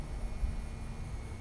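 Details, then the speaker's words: RAM Cummins diesel during fuel filter replacement, lift pump powered by 12 V at its 30 A fuse to purge fuel: faint steady electric hum at even pitch; normal lift pump operation. "I hear it. Nice thing about this too is it'll purge any kind of bad stuff out of it."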